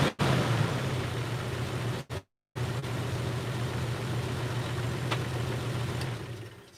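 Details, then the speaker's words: Jeep, not driven in a while, idling right after new spark plugs: lumpy uneven idle with occasional stumbles, still running rough; wires, distributor cap and rotor to be replaced next, cause unconfirmed. "whoo well stinky this hasn't been driven in a while but still runs a bit rough it might be a little bit better"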